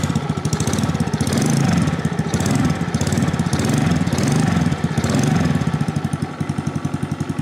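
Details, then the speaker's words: New Venom 50cc FatBoy mini chopper (automatic, performance CDI) just started after assembly, given a little throttle: quick, even popping beat from the small single, steady; healthy and running cleanly. "amazing, amazing sound for a 50cc engine. So this is a 50cc classic FatBoy here at Venom Motorsports Canada."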